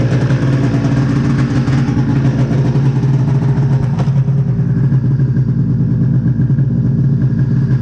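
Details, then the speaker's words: 1999 Ski-Doo MXZ 670 HO snowmobile after turning down throttle/idle screws to lower the idle: steady, even two-stroke idle, smooth unchanging beat, no misfire or hunting; normal idle. "all right see i messed with the throttle screw or the idle screws just a little bit drop the idle down so now she's more friendly for trail riding"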